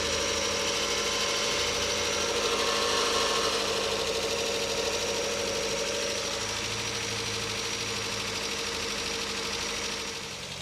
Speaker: So let's go look at the engine, and it's totally cold, although warming up. All right, so we'll put the microphone next to the front of the engine. We can hear the belts, ancillary.